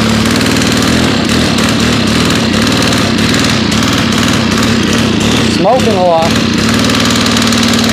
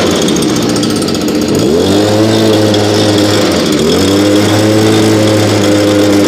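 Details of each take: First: FS90R trimmer with a replacement fuel tank, run at about 30°F after 5 months on untreated ethanol-free fuel. A steady buzzing that only smears up briefly when throttled, then sags back: bogging because the choke was left on. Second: Nearly new blower, bought last year and hardly used, cold start around 30°F after 5 months stored on ethanol-free fuel without stabilizer, primed three times: little two-stroke settles to a steady buzzing idle with two brief dips, smoother than the old BG86; normal idle.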